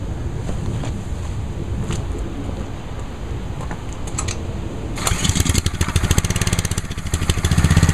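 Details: New Ryobi 3100 PSI pressure washer, first start on choke with fresh oil and gas: a few pulls, fires around five seconds and settles into a steady, even, fairly quiet run with no misses; normal running.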